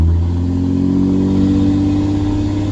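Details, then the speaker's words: Ram 2500 diesel towing 9,500 lbs, just after a clogged fuel filter was replaced: a deep, even engine drone pulling steadily under load with no stumble or misfire; full power restored, normal acceleration. "Oh, we're back, we got all the power."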